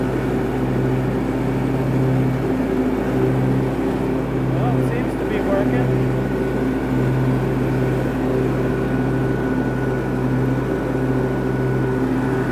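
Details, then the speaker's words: Cub Cadet garden tractor single-cylinder engine with mower deck engaged, after damaged flap repair for suspected oil-burning smoke when hot: steady loud even drone, runs strong; sound doesn't explain the blue smoke. "Well, I've been mowing for about 45 minutes, and guess what? Yes, I'm still smoking."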